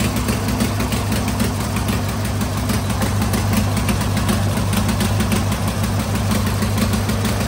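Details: Tractor engine after 12 months standing, fresh oil, doors open: steady even idle with quick regular beat about three per second, traffic hum behind; normal idle.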